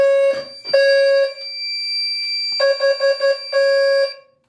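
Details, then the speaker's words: Fire-Lite MS-2 panel on Gentex sync driving a new low-frequency alarm without a Gentex GTSM sync module; steady tone pulsing unevenly, mixing three- and four-beat groups, a garbled temporal pattern. "however when they're receiving gentech sync for my panel it kind of screws it up a little bit so it tries to do temporal three and temporal four"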